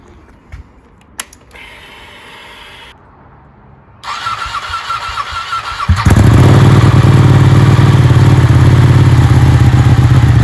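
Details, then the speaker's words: Ducati Panigale 1199 first start after a rebuild, with fresh oil and the coolant cap off to bleed air; some smoke on startup. Quiet clicks, then it catches at six seconds into a deep, lumpy, even twin-cylinder idle. Healthy start. "I'm so happy. It works. It works. It sounds amazing."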